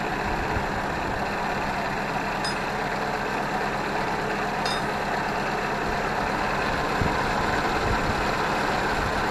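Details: Ford 641 Workmaster tractor, field find sat at least 10 years, running after starter work on a warm day without choke: steady, even engine note with no knocks or misses outdoors; healthy normal running.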